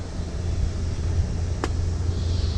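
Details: 1979 Ford Pathfinder Quadravan 4x4 V8 with new carburetor, after short driveway drive and restart; needs tune-up and has some vacuum leaks: deep even idle, steady low rumble, no knocks, ticks or misses, good oil pressure; normal idle.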